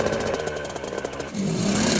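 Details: Cold start of a two-stroke ATV after a $65 rebuild kit (previously no spark, low compression): crackles through the cold start, then settles into a steady, even idle with no knocking or misfiring; healthy.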